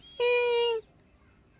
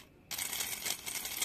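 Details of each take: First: Honda Vario/Beat scooter fuel pump bench-tested: short bursts of smooth, steady high whine each time power is applied; pump runs evenly and is still usable, just weaker than a new one. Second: Honda Vario/Beat motorcycle fuel pump tested: harsh rattly "krok krok" whir instead of smooth hum; worn rough pump.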